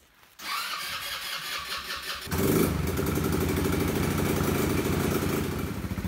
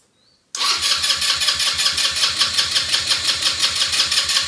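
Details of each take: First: Elstar 150cc single-gear 2WD quad bike, long stored: the engine catches after a short crank and settles into a steady, even, low putter with no misses, running normally. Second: Elstar 150cc single-gear 2WD quad bike, long stored in a shed, battery reconnected and out of gear: the starter cranks steadily at about three pulses a second for four seconds but never fires. Owner suspects the spark plug; no fuel leaks seen.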